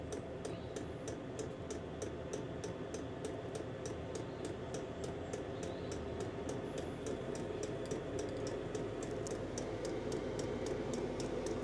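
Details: Chinese diesel heater in a workshop, cold at start-up: crisp, sharp ticks about three a second over soft fan hum, quickening as it warms; normal dosing fuel pump ticking.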